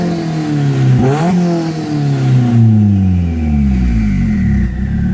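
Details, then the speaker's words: Turbo engine that burns oil, with some oil coming from the turbo and light smoke, but no oil leaks. Revved from inside the car with a boost gauge. The rising and falling turbo whistle over the exhaust note is a normal, healthy spool. "so I'm going to give you guys some revs though all right so let's get in the car real quick hear that turbo spool"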